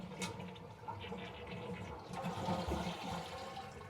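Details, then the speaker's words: Running toilet before repair, supply valve open: a rushing flush, then a steady hiss of the tank refilling. Normal flush and refill. "We're gonna flush the toilet, you can hear it run."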